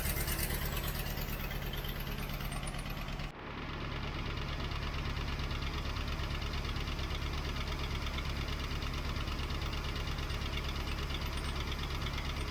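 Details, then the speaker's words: 1967 Ford Mustang 390 V8 restarted after long storage, choke on, cold and not yet warm: uneven lumpy idle with a sharp tick about three times a second; noisy lifter and not running on all eight cylinders, owner suspects a bad cam or cam lobe. "I've still got a lifter making lots of noise a lifter making lots of noise combined with an engine that isn't running on all eight is not really a good sign that could be a bad cam"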